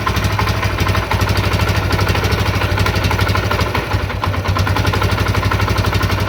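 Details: CD70 single-cylinder motorcycle after carburetor cable and idle speed adjustment for better fuel mileage: quick, regular, even beats at idle with no knocks or misses; normal idle.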